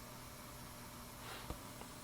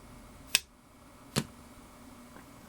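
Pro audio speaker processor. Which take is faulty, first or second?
first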